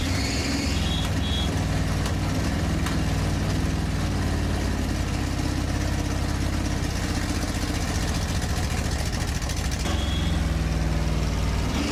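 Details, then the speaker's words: Freshly rebuilt Pontiac 400 V8 on an engine stand during cam break-in in cold weather: uneven, stumbling idle that hunts and never settles; the damaged carburetor was sucking air badly, fuel on one side and none on the other. "That thing was sucking air in like you would not believe."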